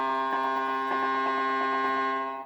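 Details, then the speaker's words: 1978 Stern Nugent pinball with Corey sound board on new ribbon cables, testing whether cables are at fault: clean steady electronic tone with soft pulsing pattern; normal sound board output, so original Brent board is faulty. "all right corey soundboard attached with the new ribbon cables and our sound is back start again okay"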